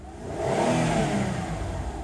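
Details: Mazda Tribute LA4A-EL (Ford CD4E) automatic with no forward or reverse, dark burnt-smelling fluid, on a hoist in gear: the engine revs freely and holds high with no load as the transmission takes up no drive; a blocked internal filter is suspected.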